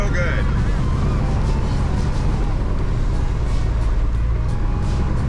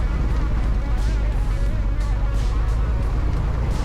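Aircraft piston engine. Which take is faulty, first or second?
second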